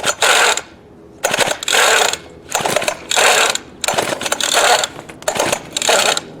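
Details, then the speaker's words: Craftsman 19-inch 25cc Bushwhacker gas hedge trimmer, choked, recoil not fully retracting, previously ran briefly then bogged: rasping pull-start bursts about once a second, never catches; hard starting. "It's choked. I mean, you know, we'll try it. It's not going to fire or if it does, it won't be for long."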